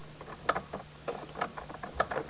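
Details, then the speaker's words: Horn relay clicking with the fuse pulled: sharp irregular clicks in bursts as the loose steering column and horn ring are wiggled. Intermittent short in the horn circuit. "I pulled the fuse again to avoid irritating myself but you can still hear the relay click so I can tell what's happening"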